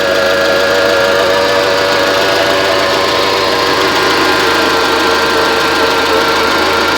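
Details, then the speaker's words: 1995 Mitsubishi Expo after engine overhaul (machined head, new rings, new seals), recorded from behind the car, low on antifreeze: steady, even idle hum, constant pitch with no misses, ticks or knocks; sounds fine. "Sounds good back here. Well, sounds good. Head is machined, new rings, new seals."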